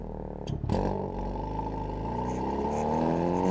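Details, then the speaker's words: Hyundai Veloster N with Depo Racing catless downpipe and JB4 tune, valved exhaust in normal mode, recorded in cabin: subdued smooth exhaust drone rising with revs, much quieter, no pops or crackle; normal exhaust note. "Bro, it's so much quieter, it's crazy. You can definitely go stealth. There's no pops, nothing."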